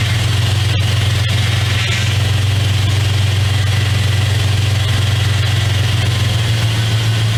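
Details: Steady, even low idle over about seven seconds with no whine or groan from a 2001 Dodge Dakota 4x4 4.7L after power steering pump replacement and bleeding; the pump runs quietly, normal idle.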